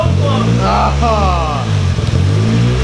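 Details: Boosted Nissan KA24 240SX on its first start after the turbo build: engine catches and revs briefly, then sags and dies after about 3 seconds; cause unknown, a loose injector rail ground was found afterward.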